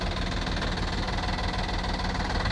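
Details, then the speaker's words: 2009 Honda Accord at idle, listed by the auction as having an engine noise: steady, rapid knock over a rough idle that follows engine speed. Suspected lifter, possibly a rod; unconfirmed. "that's your engine noise um I don't know Matt and I have kind of gone back and forth like we're kind of we're kind of thinking it sounds like a lifter but I mean there's a very good chance that it's a rod"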